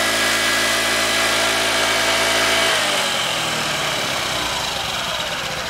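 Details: 2015 Honda Ruckus scooter, revived after sitting a couple of years, ignition on jumper wires: quiet, even single-cylinder idle with a smooth, steady beat before winding off; running cleanly, normal idle.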